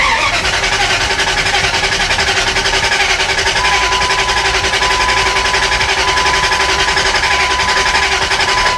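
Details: 2001 Dodge Ram 2500 with a swapped NV3500 5-speed manual, bought as a crank-no-start, key on, check engine light off, in neutral: starter turns the engine over at an even beat, about eighty pulses a minute, for nine seconds without firing. Crank, no start.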